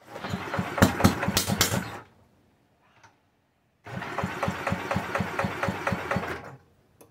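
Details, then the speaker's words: Side-valve Villiers Mark 10, unrun properly for 30–40 years, ignition just fixed, choke off: two kick-start attempts give brief, uneven pops that die within seconds. Owner suspects fuel starvation; failed kick start. "right now i think she's just being starved of fuel um i'll give it another go"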